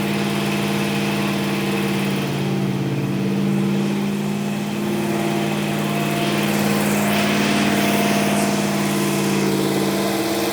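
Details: Old Dodge Ram, rebuilt carbureted V8 (previous engine's cam went flat) on two-stage cam break-in, 80 psi oil pressure: smooth, even rumble at raised steady idle, no ticking or knocking; running cleanly.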